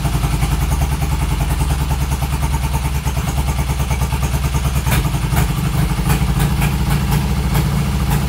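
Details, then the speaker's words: 1972 Triumph Bonneville T120R twin, stone cold first start after major mechanical restoration from seized wreck, choke on, carbs tickled; fires and keeps running on choke with loose, lumpy low beat, no knocks or rattles; normal cold start. "It's stone cold, first start. So I'm gonna stick the choke on, fuel on, both sides."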